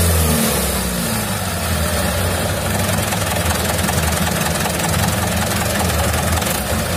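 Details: 2011 Mitsubishi Canter Super Speed diesel truck after the cracked injection pump timer was dealt with and the pump reset: steady, even diesel clatter holding constant speed with no misses or knocks; healthy engine.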